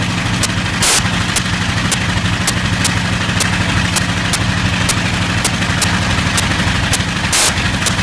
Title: Bristol Hercules engine slight misfire